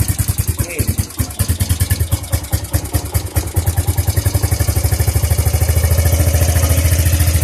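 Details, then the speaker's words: Suzuki GZ250 single after carburetor cleaning and reassembly, with the choke fully on and valves quieter than before: it thumps at about 200 beats a minute and picks up only slightly when revved. Poor revving, cause unclear. "Revved a little bit there, but"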